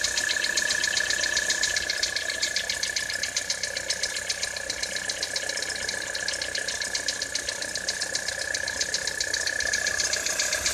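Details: 2013 Citroën C4 in frosty weather: steady idle with a sharp metallic tapping about four per second over a high whine; cold engine knock.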